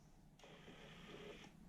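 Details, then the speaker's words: Toyota Surf/Hilux electric 4x4 engagement actuator still attached to VF1A/VF2A transfer case, button pressed: short high motor whir of about a second, smooth and even, then stops, with actuator gears moving and indicator light on, so normal actuator operation. "turns the light on we can hear the gears moving"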